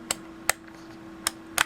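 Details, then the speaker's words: Brymen BM869s multimeter rotary switch that has been through the 50,000-cycle life test, turned by hand: four sharp, crisp detent clicks with clean snaps and no scratchy drag, a healthy switch. "Again, this one's been through the test. This one is not. Hear how that snaps?"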